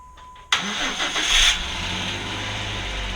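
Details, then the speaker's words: 2010 Jeep Wrangler JK after swapping in a replacement engine core for a blown, rod-knocking motor; first start after priming, chime then quick catch into a quiet, smooth idle, no dash lights: normal. "really well so far no lights on the dash or anything seems to be sounding really really quiet and smooth that's good"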